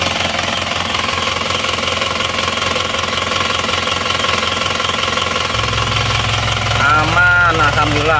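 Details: Isuzu Panther 2.5 diesel after a road drive, its badly seized liners pressed out with a 30-ton jack and reused: steady clatter at about two and a half beats a second with no stumble or knock, no smoke; healthy idle.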